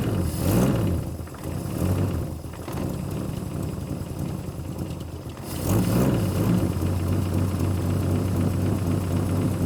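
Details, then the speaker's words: 1966 Plymouth Barracuda Formula S engine, revived after decades sitting; after throttle blips it drops to a slow, lazy, slightly uneven idle; idle speed too low, idle screw to be raised or timing increased. "might have to turn the idle screw up just a hair yeah"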